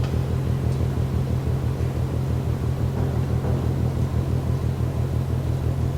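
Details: Rhythmic banging from the ship MAERSK TAIKUNG, Port of Genoa Pra' (PSA Voltri Pra), 1 a.m., 5 Nov 2015, over 1 km away: deep regular thumping about twice a second over a low distant rumble, steady throughout; cause unknown.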